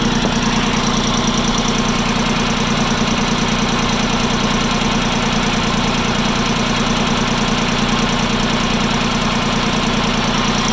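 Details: Farm Pro 2425 diesel tractor idling warm: steady rough knock through the engine beat, appearing 5–10 minutes after a cold start; cause not yet determined.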